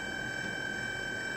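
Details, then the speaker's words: eBay DC PWM dimmer driving an inductive load on test: loud, steady high-pitched whine over faint hiss; PWM switching noise from the inductive load, which LED strips would not produce. "not cool at all it's not cool at all just listen to that how loud is it k maybe that's why they say those four LED strips because of course LED strips is not inductive load so you won't get it kind of noise"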